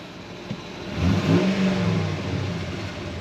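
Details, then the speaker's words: 2005 Dodge Ram 2500 Laramie 4x4, 5.7 Hemi on LPG, 105,900 miles, suspected missing exhaust header stud: smooth idle then one clean rev blip rising and settling evenly, no knocks or misses; engine sounds healthy. "the engine. Sounds really nice. I've done a few hundred miles in it so far."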